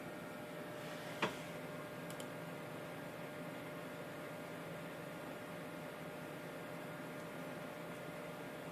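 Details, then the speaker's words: Water-cooled PC after a water block repair, bench tested under a Prime95 load at 4.5GHz, temperatures climbing to about 70: only a faint, even fan hiss and soft hum with no rattle or grinding, stable with no leaks, quiet and healthy. "It's been stable for me, no leaks. And I'm not looking for amazing performance, and you can hardly hear the thing run."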